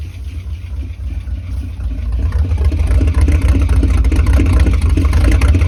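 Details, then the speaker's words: 1976 Ford F-250 highboy V8, just revived after 15 years: deep, lumpy idle at about four pulses a second, building as it warms with one cylinder not firing. "I think we need one more cylinder to come back around"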